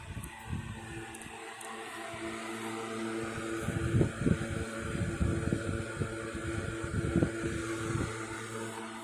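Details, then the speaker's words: 1960s 16-inch Toastmaster box fan on high, first start in nearly two years after storage, owner thinks it may need cleaning and servicing; smooth low hum, steady motor tone, even air rush, no rattles or scraping: normal running on high speed. "Okay, and we'll go ahead and turn it off. Definitely got some go in it, I'll tell you that."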